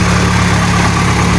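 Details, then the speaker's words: Honda Civic 8th gen, bought cheap as a non-starter, now running with its original ECU refitted after an eBay replacement failed, warming up on a freezing morning; loud steady even idle, no stumbles; normal warm-up idle. "so I don't want to waste no time excuse me I just uh going to let it warm up a little bit"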